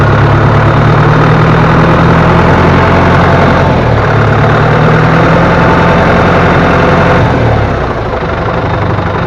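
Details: Diesel loader tractor after the loosened pump bolts were retightened and oil refilled: steady idle with an even low beat of about 200 per minute, no knocks or rattles; engine and pumps sound normal.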